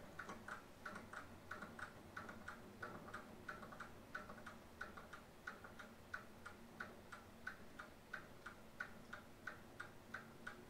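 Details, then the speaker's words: 1920s Seth Thomas Sentinel mantel clock, about 100 years old, newly wound with its basic pendulum hung: crisp, evenly spaced tick-tock, a couple of beats per second, steady rhythm, gears moving; movement running normally. "seems to be running. So gears are moving up in there. That is pretty cool."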